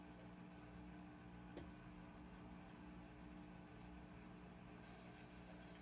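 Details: Whirlpool commercial/Maytag washer test run after replacing the stripped, worn clutch that caused grinding going from wash into spin: quiet, even motor hum with a faint whir, no grinding or scraping; running smoothly.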